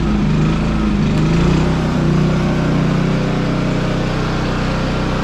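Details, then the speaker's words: 11-year-old Champion generator with eco mode off, lightly loaded by a window air conditioner: even, steady drone with constant pitch and no surging. Not worn out, though louder than before; owner suspects worn muffler internals and spark arrestor. "yeah, it runs steady. So, yeah, it's not junk, it's not worn out."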